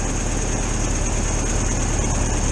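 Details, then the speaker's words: 1973 VW T2 camper with fuel starvation, carburettor removed, jets unblocked and carb adjusted: even, steady air-cooled idle with no stumbles or surging, running better. Normal idle. "now i've made a few adjustments to the car bro definitely seem to be running better now"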